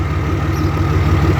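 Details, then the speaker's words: 2004 Ram diesel truck, 5-inch Sinister diesel exhaust with resonator, worn throwout bearing: even, low idle with a soft regular pulse and a mellow, quiet exhaust note; healthy normal idle. "5-inch Sinister diesel exhaust with a resonator. So at idle, the truck is quiet, but when you put your foot into it or you're pulling a hill or whatever, it sounds good."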